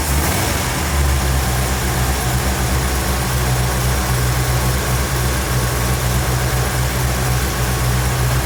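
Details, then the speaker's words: 1957 Chevrolet Bel Air carbureted V8 after carburetor teardown and replacement, fuel bowls filled with no leaks: steady, even low idle rumble with no misses while the throttle stop is adjusted for idle RPM. Normal idle. "okay what you're going to see Dad do is adjust the throttle stop just a little bit here just a little bit more okay basically that is just giving you a throttle stop to give it enough for the engine to idle at a specific RPM for you"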